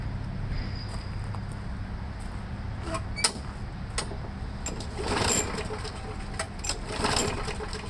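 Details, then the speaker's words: Briggs & Stratton Quantum engine whose primer is built into a warped air filter base: after about five or more primer pumps, recoil pulls rasp with a brief cough but no firing. The primer is not priming, so it won't start. "Nope, it's never gonna start."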